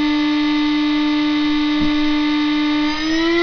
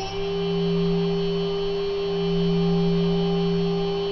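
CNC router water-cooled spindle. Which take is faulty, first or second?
first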